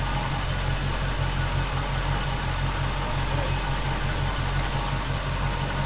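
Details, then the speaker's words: 1971 Chevy C10 pickup project truck, engine restarted to confirm it still runs well after an earlier whistling noise was heard; steady low rumble with even beat, no knocks, ticks or squeals, a smooth healthy idle. Charging checked next at 14.6 V. "I'll fire it up one more time make sure we're still golden"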